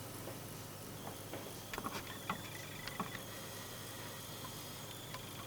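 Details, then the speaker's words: Computer power supply standby circuit, main supply not running, 6.3 V bulb as small load: thin high whistle wavering with chirpy dropouts, vanishing under small load. Capacitors ruled out; whistle caused by open startup resistor. "Этот свист очень тяжело бороться иногда с ним."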